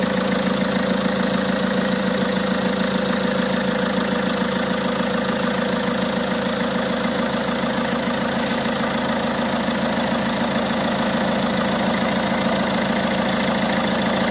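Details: Peugeot 207 1.6 HDi 90 hp DV6ATED4 diesel, August 2007, 212,469 km, at idle: steady idle with a regular clatter about twice a second over the engine note; abnormal noise, cause unclear.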